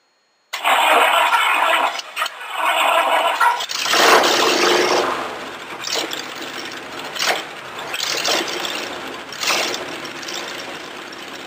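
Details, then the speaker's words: 1953 Cadillac V8 in a homemade rat rod: uneven starter cranking with brief sputters that never catch. Owner says a six-volt battery couldn't turn it over fast enough; cranks but won't start. "I think she's just gonna start a new moment we've been doing that little sputter turn over where she goes"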